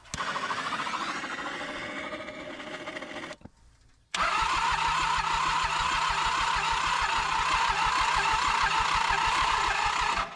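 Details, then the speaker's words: Toro Groundsmaster 223D diesel mower with compression just over 200: two cranking bursts, the second a steady chug near 200 beats a minute that never catches; severe blowby, compression too weak to fire. "Hey, guys. I don't think it's going to go. Check out the blowby on this thing. Yeah, this thing has severe blowby."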